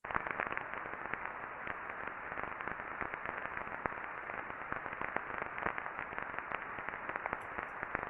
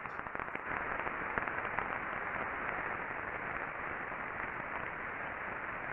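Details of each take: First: Ultrasound reading on the non-drive-end bearing housing of a motor before greasing: dense, irregular crackling and popping over a hiss, friction from lack of lubrication; smoother after greasing. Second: Ultrasound reading taken on the non-drive end bearing housing of a motor after greasing: a steady, even hiss, smoother than before, with faint scattered clicks of remaining friction from wear that grease can't fix.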